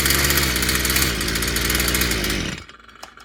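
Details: Stihl FS55 brushcutter, warm, good-quality plug fitted; steady, even two-stroke buzz at constant speed for a couple of seconds before switch-off; engine runs properly.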